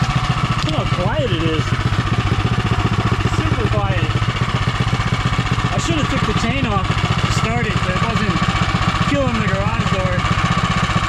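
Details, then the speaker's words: Predator 212 (Monster 212) single-cylinder in Mega Moto minibike with new thick-flange custom exhaust V2.0: quick even muted exhaust pulses at steady low idle, no misses or rattles; normal idle. "I gotta say, that sounds really good."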